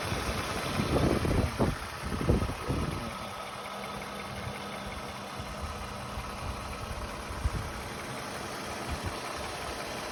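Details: 2009 Lexus RX350 idling: some handling clatter, then a steady, even low hum with no knocks or misses. The engine idles smoothly, in a water pump replacement job.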